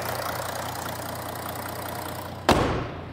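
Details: Audi A5 3.0 TDI V6 S tronic with upgraded turbo, after new clutch pack and LUK flywheel: steady even diesel idle, smooth low rumble, no knocks, one sharp thump near end; engine sounds healthy, quiet.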